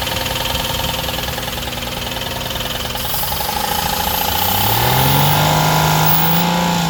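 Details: 2016 Ford Explorer 3.7 L V6 at idle with a regular tapping knock, then revved with the note climbing; engine knocking recorded for a warranty claim inspection, cause undetermined.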